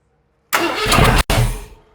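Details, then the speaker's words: Ford 460 big-block V8 first fire-up after camshaft install, distributor one tooth out: rough catch on cranking, sharp cut-off and ragged restart; backfiring from ignition timing one tooth off. "backfiring it's a to out let me just move it"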